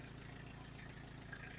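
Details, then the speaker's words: 1992 Toyota Townace diesel camper van, first start after timing belt replacement: even steady diesel clatter at idle, smooth low rumble, no knocks or ticks; normal idle. "No weird sounds. Let's go."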